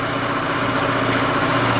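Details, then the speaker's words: Rototiller single-cylinder engine after carburetor cleaning, just started cold on choke, not yet warm: steady even chug with constant beat, no misses or knocks; running pretty good apart from slight rocker cover noise. "Hey, that's running pretty good."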